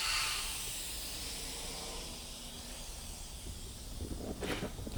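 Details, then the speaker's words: Subsalve EFB-500 enclosed lift bag being reinflated with an air manifold: a strong steady hiss fading softer, then handling clatter. Overpressure relief valve venting normally to prevent bag rupture. "So what that you hear that's still hissing is the overpressure valve. It's designed to vent pressure at a certain point so that it doesn't rupture the bag."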